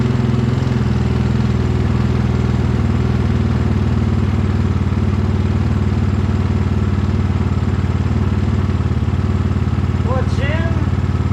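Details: 2022 GPX FSE300R (Zongshen NC250 single) idling after Barnett Kevlar clutch pack install and clutch readjustment: steady even thump around 220 beats a minute, no knocks or clatter; normal healthy idle.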